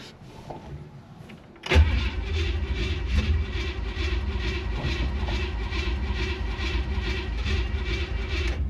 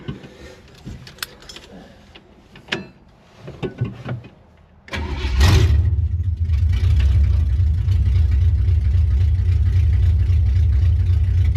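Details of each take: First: 1967 Chevy Impala small-block V8, pedal pumped to the floor before cranking; it needed heavy pedal bumping to fire last time: starter churns steadily with even pulses for several seconds but the engine never catches; long cranking without starting. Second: 1967 Chevy Impala small-block V8: quiet handling noises, brief crank, engine catches immediately and settles into a steady, deep, even idle; normal quick start.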